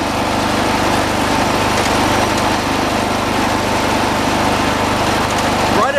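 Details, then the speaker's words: 1986 John Deere 216 lawn tractor, single-cylinder, throttled up: steady even high-speed drone, no hunting or surging; judged all right, linkage left alone; normal throttle-up. "there I think it's all right where it is"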